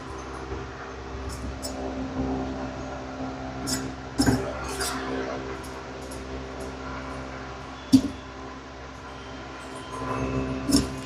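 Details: 52-inch Hampton Bay Nassau ceiling fan during cleaning and service: motor drones with a rough edge and scattered irregular clicks and knocks from worn bearings.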